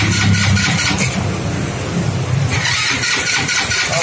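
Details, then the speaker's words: Four-wheeled automatic motorbike that won't start: uneven starter churn at three to four pulses a second that never catches; crank, no start. "Seperti yang Anda lihat, mesinnya tidak menyala. Ternyata sepeda ini memang mengalami masalah. Ini tidak mau menyala."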